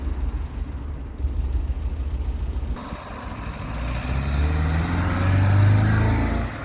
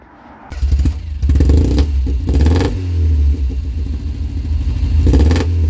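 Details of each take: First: 1990 Ford Fiesta after a new air filter, a cleaned mushroom valve and carburettor adjustment: engine fires, settles and revs smoothly with an even note and no misses; now running properly. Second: 1990 Ford Fiesta with the rear silencer (back box) removed and a modified air intake, throttle blips: a loud raspy blat that rises and falls sharply, like an angry bumblebee.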